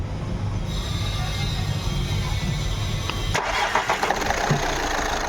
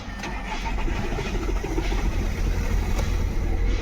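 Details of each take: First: Skoda Rapid diesel after fixing injector no. 4 fault (current fault, refitted, air bled): short crank, then catches cleanly and runs evenly with no misfire; glow plug light no longer blinking; healthy start after repair. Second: Skoda Rapid diesel starts only after long cranking, glow plug light blinking, then idles roughly with a stumbling, uneven beat; fault code for cylinder 4 (P0204). That cylinder is dead and the misfire comes from a faulty injector.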